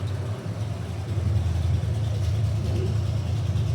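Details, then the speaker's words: 1972 Mustang convertible, 351 Cleveland V8 with Edelbrock 4-barrel intake and new headers, no exhaust fitted: loud, lumpy, unmuffled rumble with uneven lope on open headers; healthy idle, though it needs a camshaft. "Woo. Oh God. It needs a camshaft. Oh, does it need a camshaft?"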